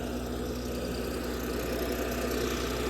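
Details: 60kW Kohler REOZJ diesel generator on a mobile MRI/X-ray trailer, running with fuel solenoid wired in and starter jumped after control board failed. Steady even diesel chug at constant idle speed, no misses or knocks; normal idle.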